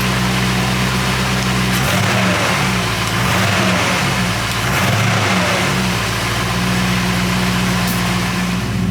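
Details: Rebuilt Porsche 928 V8 after oil change to better oil: strong, even note rising and falling smoothly through several blips; the constant valve tick heard before the oil change is gone.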